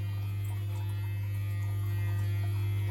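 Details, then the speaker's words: Eheim Quick Vac Pro gravel cleaner, modified and run from a 12 V 45 Ah battery: loud steady low hum with a faint fast ripple; the motor is energized but not sucking or pumping any water. "not sucking anything [Music] okay the public did not strike [Music] [Music] okay it's just too fast guys"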